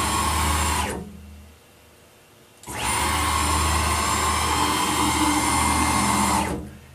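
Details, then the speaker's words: PM-940 CNC mill X axis, 4.5 Nm (640 oz) closed-loop stepper at 60 VAC, rapid at 250 in/min: harsh screeching howl as stepper loses steps then recovers without faulting; 300 in/min also struggled. "when you hear that howling noise that means that the stepper is losing steps but it got back on track"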